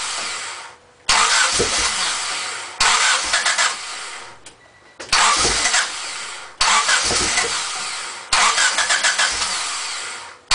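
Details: Honda Civic EX coupe that would not stay running: five separate cranking bursts, each turning over briefly and dying away without catching, quiet gaps between; cranks but won't start.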